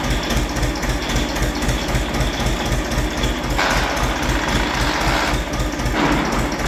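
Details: Diesel machine idling: a rough metallic clatter at a fast, uneven beat of about four a second from the dynamo. Its bearings are broken and the pulley has play, and it is charging poorly.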